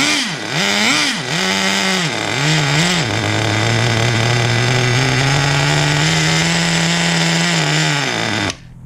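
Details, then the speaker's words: 2006 Traxxas Nitro 4-Tec 3.3 (model 4809), TRX 3.3 engine rebuilt, first tank, started with a little throttle: revs unevenly, holds a buzzing high speed, then cuts out. Engine stalling; owner wonders if too much fuel makes it bog. "I know it keeps dying, so it's turning off for a reason. When I'm starting it, it's starting with a little bit of gas input, like I'm giving her a little bit of throttle."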